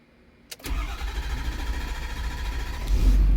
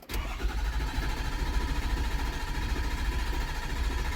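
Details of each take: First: Ford Super Duty 6.7 Powerstroke diesel after CP4 pump and injector install with IQA codes programmed, low on fuel, on the second key cycle: short crank and quick catch, then it settles into a steady low rumble and starts cleanly. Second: Ford Super Duty 6.7 Powerstroke diesel after CP4 pump and injector install with IQA codes programmed, low on fuel (27 miles to empty): starter churns at a steady low beat about six seconds but never fires; crank no start.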